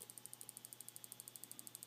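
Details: Ultra IBEC CDI, simulated HV failure, output clamped by TVS diode to about eight volts instead of about 20,000, no spark; rapid sharp regular ticking about twelve per second on each firing.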